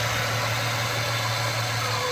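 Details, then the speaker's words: 1996 Ford Mustang with intermittent blinking battery light, new alternator fitted: load returns to the alternator as it charges a low battery; even, steady idle hum with constant low note and some hiss, no surging or dips; healthy. "And now we're putting the load back on the alternator. and it's now charging that battery."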